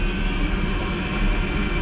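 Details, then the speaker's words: Newly installed Espar D4 diesel air heater on a sailboat, fuel leak fixed: even, steady low roar with no surging, knocks or rattles; working correctly. "But yeah, it looks like everything is working correctly."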